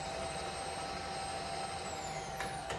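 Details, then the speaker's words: Rebuilt Bridgeport milling machine with 48-inch table and two-axis Goodwin DRO, serviced X, Y and knee; X-axis power feed on rapid override gives a steady, even motor whine with no grinding or clunks; normal rapid traverse. "Let's get the power feed going. You should be able to see it moving on the X-axis here on the DRO screen. So rapid override."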